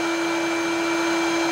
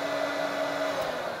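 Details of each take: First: Hoover Turbopower Freedom upright vacuum on high (position two); steady high motor whine with no brush slapping underneath, winding down at switch-off; brushroll not spinning, belt probably snapped or severely stretched. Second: Hoover Turbopower Freedom upright vacuum found at the tip, first test on low (position one); steady even motor hum, constant pitch, no rattles or surging; blew out dust at start-up, motor runs fine.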